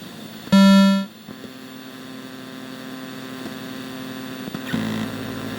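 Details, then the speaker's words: Midway Wolf Unit arcade board running Mortal Kombat 3, revision 1.0, during the ROM check: constant low buzz with stacked overtones and hiss under the game sounds, louder in-game. Traced to a faulty op amp in the audio stage, later replaced. "listen there's a noticeable interference and noise in the background of the audio"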